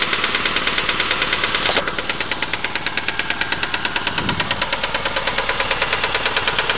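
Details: Saturn SL2 engine knock: sharp, even ticking knock about three times a second over a steady running engine; cause not pinned down.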